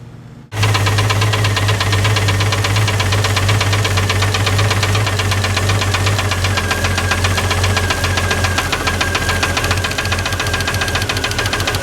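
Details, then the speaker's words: 1989 Jeep Cherokee XJ Renix 4.6L I6 stroker (AW4), running hot: quick, sharp clacking ticks over idle from the top end after backing off the rocker bolts, a "clackety clack" change pointing to valve train clatter from excessive valve lash. "Does make a different noise. That's a clackety clack clack."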